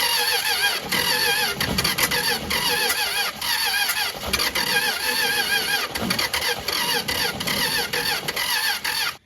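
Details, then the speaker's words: 1962 Dodge Lancer slant six, formerly seized, points ignition, new distributor cap, accelerator pump not working: starter churns in quick even pulses with a squeal, consistent pop from the top like one intake valve, never catching; likely badly flooded. "so it's probably horribly flooded let's see what we [Music] get still getting that pretty consistent pop out the top that sounds like one intake valve to [Music] me"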